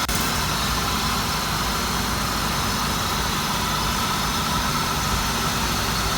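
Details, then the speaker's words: GM 3.8 V6 at a Copart yard, transmission fluid questionable, idling: steady idle under hiss and background noise, no knocks or misses standing out; sounds like a typical healthy 3.8. "Okay, I'm gonna go check the engine bay out with you guys and we will see what we think. Sounds like a typical 3.8."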